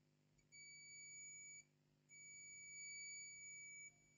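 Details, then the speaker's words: Lenovo IdeaPad 320-15ISK motherboard, no power, first MOSFET passing 0 V from 19.8 V input: two long steady continuity-test beeps show the main power line shorted to ground; blown capacitors. "Ground Zero you can see on the muler current sensor to Ground Zero we have a short second clearly our motherboard is shorted"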